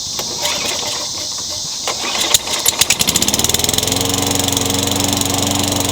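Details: Craftsman 22-inch mower, Tecumseh 6 hp, after a new Champion RJ19 plug and air filter refit: a few pulls, then it catches and settles into a steady even run with a clean firing beat; runs properly, no smoke.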